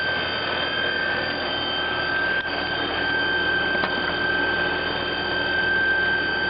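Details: Trane XR12 heat pump/air conditioner outdoor unit: a constant high squeal with a hissy running noise behind it, steady throughout. It is noisy and squeaky, and the source is not pinned down.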